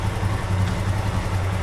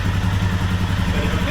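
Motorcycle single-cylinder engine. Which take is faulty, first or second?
second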